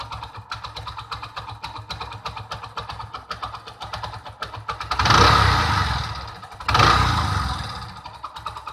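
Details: Mahindra Centuro motorcycle after full timing chain kit replacement, quiet for two days then noise returned: sharp ticking at idle, quickening with two throttle blips; top-end ticking, cause unknown.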